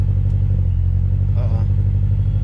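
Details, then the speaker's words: Subaru BRZ just after a Deatschwerks DW300 fuel pump install and battery reconnect, no check engine light: the idle swells and sags in slow waves, never steady. The owner suspects a vacuum leak, unconfirmed. Earlier it stuttered and popped while driving and set the check engine light. "y'all hear that? That's the issue I was having. So this is the general problem that I'm having with the car. So you see how it just rev up and down?"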